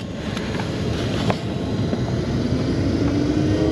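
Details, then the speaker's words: 2014 Ford F-150 blower after repair: a broken recirculation blend door had damaged the fan and made it rub. With a new fan fitted and the excess shaved down, only a steady air rush and faint hum rising with fan speed remain, no rubbing. "to speed up all you hear is the fan moving"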